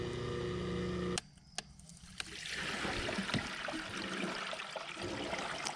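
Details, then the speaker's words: Hot tub circulation pump after replacement, wired with power on terminals 3 and 4, neutral unused, grounded; filter just cleaned: steady motor hum then evenly rushing, gurgling water, no knocks or rattles. Pumping fine, normal running. "I just cleaned that filter, see where we're at pressure-wise. All right, well that's pumping fine."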